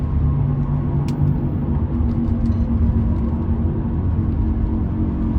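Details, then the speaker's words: 2010 Toyota Sienna at highway speed, steady low roar from the right side that keeps the same pitch when swerving, even after replacing both wheel bearings a week ago; road-speed roaring noise, cause unknown. "see it didn't really change at all in Pitch before before I replace the wheel bearing"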